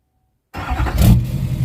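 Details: 2006 Chevy Silverado LBZ Duramax diesel, warm, 5-inch straight pipe with flow-through muffler, DSP5 tune four: starts and settles into a deep, even idle rumble with little hiss; healthy idle.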